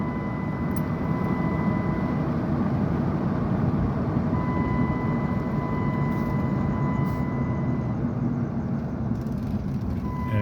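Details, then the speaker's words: 2005 Dodge Durango 5.7 Hemi driving after spark plug and air filter replacement: smooth, even engine and road drone with no ticking on pull-away from a stop. Owner attributes the former tick to misfiring plugs. "it feels a lot better. Like I don't hear the tick tick tick tick tick tick when I take off."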